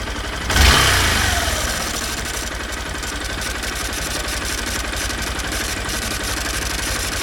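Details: 2016 Honda Bros 160 single: after a worn piston was found following the 6,000 km service and replaced with original parts, a new, louder internal noise appeared. Engine catches, then idles with a busy mechanical clatter from inside; source unclear.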